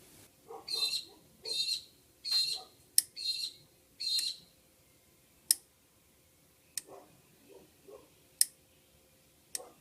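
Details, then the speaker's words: Subaru EA82T with Megasquirt MS3X, purge control solenoid under the upper intake, switched via the output test mode: crisp single clicks every second or two over birdsong as it toggles on and off. The solenoid is working normally. "so we can just flick it on, and I can hear it go click. Flick it off again. Also hear it go click."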